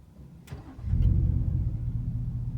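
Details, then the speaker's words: 2018 Ford F-150 5.0 V8 with a Flowmaster Outlaw exhaust, heard from the cab on a cold day: the auto start-stop restarts when the brake is released, catching within a second into a deep, loud exhaust rumble; a normal restart. "but i'm gonna let my foot off the brake now and i want you guys to hear the startup of what it sounds like"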